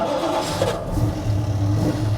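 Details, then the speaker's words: 1980 Dodge W200 Sno-Commander plow truck after replacing failed starter with a remanufactured one: starter spins the engine briskly and it fires within a second, settling into a steady, even run; clean healthy start. "Man, that thing spins like a mofo. There we go, fixed it."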